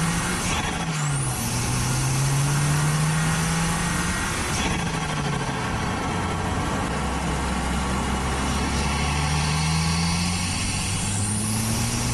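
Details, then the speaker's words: Audi A4 B7 Avant daily driver with stock exhaust, after replacing a split OEM diverter valve (boost leak) with a GFB DV+: strong engine note sweeps up through the revs and drops back on each pull, turbo healthy under load; pulls much harder, all the way through the rev range. "car is performing so much better pulls a lot harder pulls all the way through the rev rang"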